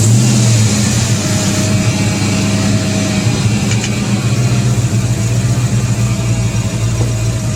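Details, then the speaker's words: 1994–95 SN95 Ford Mustang 5.0 V8 at idle: loud, lumpy V8 idle with a thin steady whine from a power steering pump with no fluid; exhaust leak also present. "It does run. So here's what it sounds like running. Typical 5.0 sound. Power steering pump's got, you know, no fucking fluid in it."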